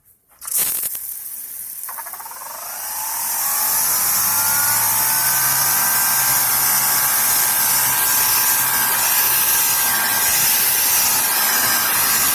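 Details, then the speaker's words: Greenworks Pro 2200 PSI electric pressure washer: the motor spins up over a couple of seconds, then settles into a steady, even high whine with no knocks or surging. Normal, and as loud as it gets. "Now, if you listen to this pressure washer, that's as loud as it gets."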